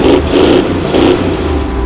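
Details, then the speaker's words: 1970 Dodge Challenger V8, revived after 15 years off the road, now driving: deep burble through a few throttle blips, pulling cleanly with no misses or knocks; sounds healthy, as a muscle car should. "That's how a muscle car should sound."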